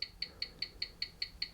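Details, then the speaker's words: Old antique-fair wind-up mechanical watch, previously running about 10 minutes fast per hour after a drop, on a timing machine: crisp, even ticks at five per second, 18,000 beats per hour; 83 seconds fast a day, amplitude 255°, beat error 0.7 ms; healthy. "let's see what's coming up with now excellent 18 000 so that's going to be five beats a second"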